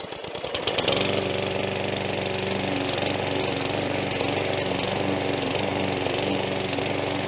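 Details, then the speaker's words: McAllister 16-inch (41 cm) petrol push lawn mower, new out of the box and untuned, test cutting grass: rough, uneven beat with speed rising and falling; engine hunting and surging, cause not pinned down. "Again, this is the one that was hunting a little bit, the engine. So it was sort of going up and down and surging."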